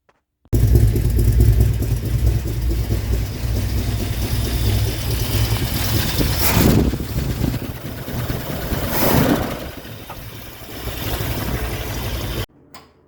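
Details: 1965 Buick Riviera, first start in 15 years after replacing a crumbled starter solenoid, heat-damaged wiring and the battery and cable: the engine catches quickly and settles into a steady, even idle with a couple of brief revs; healthy start.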